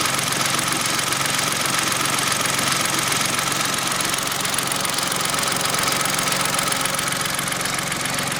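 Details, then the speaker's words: Kia engine at idle after changing very black old oil: steady idle with a dull, regular knock two or three times a second from low in the engine. Lower-end knock, cause unknown. "now we've changed that oil it's there's a definite knocking there now"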